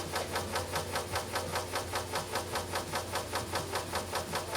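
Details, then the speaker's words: Vintage floppy (Skate Rock) in a Commodore 128D drive: sharp regular ticking about two and a half per second while reading; physically dented disk striking the drive head, hard on the heads. "this skate Rock disc has a physical dent in the disc and you can hear it impacting The Head and the"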